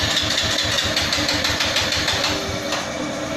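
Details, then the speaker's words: Honda Beat ESP fuel-injected scooter, parts already cleaned, stumbles and pops at idle and from zero to about 5% TPS, jerky when riding, no fault codes; faulty engine oil temperature (EOT) sensor found as cause. "kita coba hidupkan ada suara blebek blebek pas dari gas nol gas dari Belum tiga sampai amau angkatan sekitar di TPS 0-5 itu suaranya bek bek bek bek bek hati kalau buat jalan itu sih ngedap ngedap"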